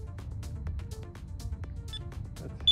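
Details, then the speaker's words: Losi LXT RC truck with LDARC CT01 transmitter during a range test at roughly 700 ft: over loud music, a faint high beep marks the link being lost, then a sharper beep as it reconnects. "you can hear it beeping that means it's losing connection and then it beeps again when it reconnects it's a nice feature actually"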